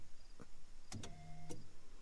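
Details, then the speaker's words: 1988 Foxbody coupe with a no-start, key in the run position: sharp relay clicks, a half-second fuel pump hum, then clicks as it drops out. A bad contact in the ignition switch is cutting out the relays and fuel pump. "So the problem was literally this ignition, guys. There's clearly a contact in there that isn't good."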